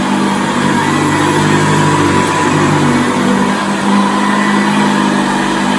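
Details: 1978 Hoover Senior Exclusive U4058 upright vacuum after repair and restoration, pushed on carpet: steady, even motor roar with a smooth whir and no rattle or knocking; running healthy.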